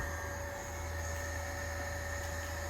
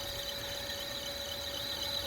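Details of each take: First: Carrier ECM motor run from a VFD gives a steady low hum with constant high whine and no knocks or scraping; motor spins smoothly, normal operation. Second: Carrier EcoBlue axial ECM fan motor driven by a VFD, ramping toward about 30–40 Hz: steady high squeal over a rough, strained hum; motor struggling near loss of sync, unable to go faster.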